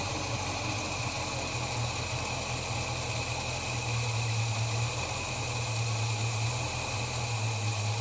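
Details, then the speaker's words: Holden HK after new spark plugs and oil change, deliberately very low idle; slow, soft, even hum with a faint hiss, running cleanly and judged about right. "like to run a very low idle I'm good enough of that"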